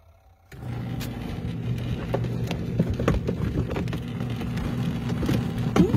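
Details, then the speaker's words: Cosway compact washer in a camper, first use, cold rain-barrel water with soap: quiet steady low hum with soft sloshing and the odd light tap, agitating normally and working; an unidentified rattle like a rock was noticed later. "it's quiet and it totally is working"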